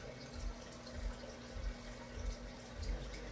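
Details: AquaClear filter just started on a 75-gallon green jade shrimp tank being remodeled. A gentle pulsing flow at about 1.5 beats a second with no dry hum; the filter is moving water normally.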